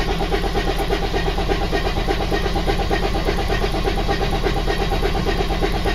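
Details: Freightliner turbo diesel: long, steady cranking at under two turns a second, turning over a long time before firing; a hard start.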